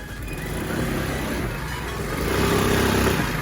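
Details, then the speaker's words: Lexmoto FMS 125 scooter after valve clearance adjustment and new spark plug, revved quickly: buzzy, uneven shudder/vibration on the note as revs climb; owner unsure, possibly baffled air filter and tiny exhaust. "So she's running, but there's a weird vibration when I give it beans. I'll see if you can hear it. I'm just going to rev it up quick."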